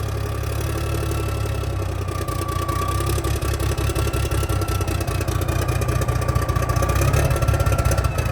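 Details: 1987 cabover truck diesel at its first start in years: deep, steady rumble with a faint high whistle, settling into an even idle. Oil pressure about 40, engine sounds healthy; normal diesel idle.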